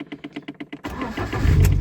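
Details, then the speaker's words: Lada Priora with overcharging (16.7 V) and slipping belt whistle, previously hard starting: about eight quick starter turns, engine fires and settles into a steady run; now runs smoother and starts easily, normal quick start. "И заводится лучше. Вот реально заводится прям. Я прям ради интереса еще раз запущу ее."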